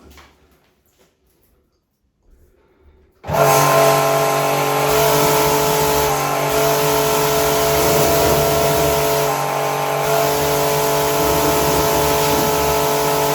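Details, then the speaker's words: Pumkin Chicaco pressure washer with no-pressure fault, mid-repair after valve work: motor runs on with a steady pump throb about four per second and never auto-stops. Pressure has improved but is not full, likely not reaching cut-off pressure. "ก็แรงนำเพิ่มขึ้นนะครับแต่ก็คือว่ายังไม่เต็มประสิทธิภาพเนาะเพราะว่ามีลักษณะทำแต่ว่าไม่ตัดการทำงานก็น่าจะเป็นเพราะว่าแรงดันขึ้นไม่ถึง"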